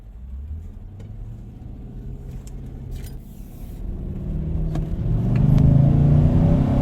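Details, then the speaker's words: 2018 Nissan Titan road test: engine pulls hard, revs climbing smoothly under full throttle, no fuel cutoff or stumble; runs fantastic, normal acceleration. "So, she runs really, really good. Just making the last turn before I get to the shop. Make sure this thing is running the way it's supposed to. But, I mean, it runs fantastic."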